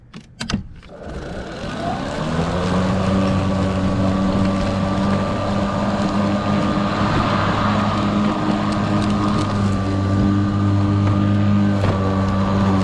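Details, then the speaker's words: Kobalt 80V Max electric lawn mower, about four years old, with a weak battery: steady whine with a low hum under load, pitch sagging as the battery runs flat; motor slowing from depleted battery. "but you get decent power all the way through, but you can kind of hear it audibly slow down right before the battery's about to die."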